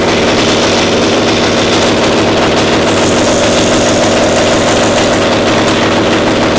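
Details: Caterpillar Diesel 70 two-cylinder pony starting motor after the cap was swapped: loud, fast, steady bark with an even beat and no misses, firing cleanly on both cylinders; runs perfect.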